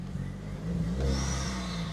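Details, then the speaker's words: VW Caddy Maxi with a TFSI turbo petrol engine, chilly day: quick rev blip with a rising whoosh and faint turbo whistle on top, settling back smoothly; healthy turbo engine. "She's TFSI. It makes all the whooy whooy"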